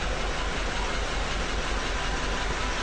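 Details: Toyota Land Cruiser V8 1VD-FTV diesel after re-timing to fix hard starting: it now starts easily and settles into a steady, even idle with a deep low rumble, no knocks, misses or hunting.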